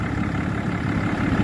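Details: 2012 Ram 3500 6.7 Cummins diesel at idle after replacing a water pump with a loose, rough pulley and a broken belt: low, even idle, steady rumble, no knocks, squeals or belt chirp, no leaks, running cool.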